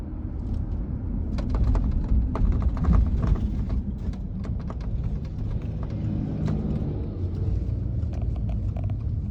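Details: 2022 Subaru Outback driving: low road rumble with scattered irregular sharp taps and clicks in bursts over bumps from the roof; suspected roof beam separated from the roof panel, not confirmed.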